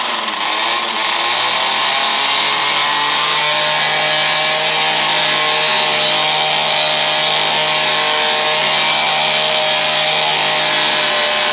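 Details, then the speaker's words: Vintage weed trimmer, last repaired 1989, sat for a long time, only fresh gas added, choke out, latched at full throttle; steady high-pitched scream, no misses, surging or rattles; normal running. "All right, let's start it up. I got it latched on high throttle. And I got the choke out."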